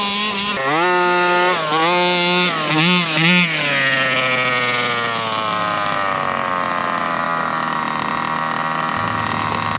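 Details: Rovan Baja 5B RC two-stroke, fresh fuel, carburettor needles reset to factory (1 1/4 and 1 1/2) after an hour's rest following no-start: blips up and down, then holds clean steady high rev without stumbling; running right.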